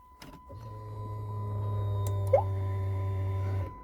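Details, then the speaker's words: 2014 Dodge Challenger after driver-side fuel pump replacement: steady low hum with thin high whine for about three seconds, then cuts off; new fuel pump priming and building good pressure. "all right here's a video those fuel pumps now you can hear those suckers ripping"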